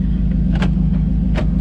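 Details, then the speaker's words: 1998 Chevy Silverado 1500 after driver door handle replacement, engine idling: two short sharp clunks as the power door lock actuator unlocks cleanly. Normal power door lock actuation. "Door lock. Sounds like it's unlocking it."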